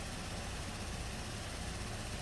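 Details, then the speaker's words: 2017 Buick Enclave after water-in-fuel no-start, fuel pressures at desired 580 psi rail and ~58 psi low side: smooth, steady low idle with even hum, no misses; normal idle. "seems to be running fine now"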